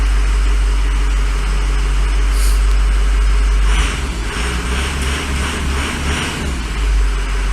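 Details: 2006 Ford F550 Lariat, 6.0 PowerStroke diesel, crew cab 4WD, with suspected recurring head gasket failure: steady idle with an even low rumble and soft regular pulse, no misfire or knock. Normal diesel idle.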